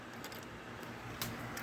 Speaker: and see, hear that clunky noise? It made a clunky noise when I put it down. Now that means that the bobbin case is not in there properly, and that it's going to nest like mad.